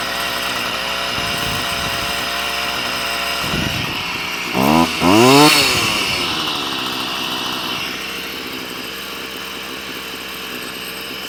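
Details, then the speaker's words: Stihl FS38 two-stroke strimmer during carb tuning: idle buzzes high and busy with a quick rev in the middle, trimmer head still spinning; idle screw set too high, being turned down. "I've got the strimer up and running it's iding a bit too fast now because uh the head of the strimmer is spinning"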